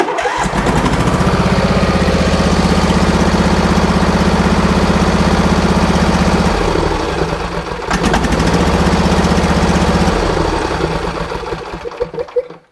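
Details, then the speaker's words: Husqvarna lawn tractor with a 26 hp twin driving a 54-inch deck; it bogs and dies when the electric PTO engages. Lumpy, uneven thumping; one cylinder has spark but isn't firing. Dead cylinder from a displaced pushrod. "i had a suspicion but we're not firing on or well it's got spark so there's another issue on this cylinder um this cylinder is not running let's do that again just be sure"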